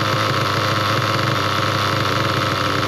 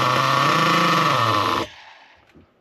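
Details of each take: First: Nitro RC car engine, low-speed needle turned richer (counterclockwise): loud busy buzz holds then RPMs drop very low and it dies near ten seconds; stalling from over-rich low-speed needle, fix is leaning it clockwise. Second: Nitro RC car engine after low-speed needle tuning: steady, even high-pitched buzz at idle with no stumbling, cutting out cleanly; pinch test raises RPM and shuts off at four seconds; correctly tuned, normal idle.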